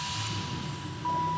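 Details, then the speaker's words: 1992 Oldsmobile Cutlass Supreme International Edition twin dual cam, running after sitting for years and a starter fix: catches without starter click and settles to a smooth even idle, air pump audibly whining while it runs rich on start-up. "God, this engine runs so good. You can hear the air pump working right now, feeding our exhaust system with oxygen in order to get a more efficient burn."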